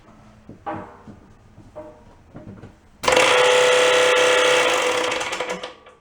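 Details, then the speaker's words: Electric air compressor of unknown history from a long-empty factory, thought to have run nonstop into an air leak: after a few clicks it bursts into loud, harsh clattering with a fast heavy knock. Bad rod knock. "Noise alert. So, that's what the deal is. She's uh got a rod knock pretty bad."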